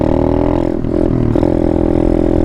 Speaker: I'll show you what happens when you downshift to fast oh gosh here's my ATD have to look at the river first this is what happens when you shift down 30 years too fast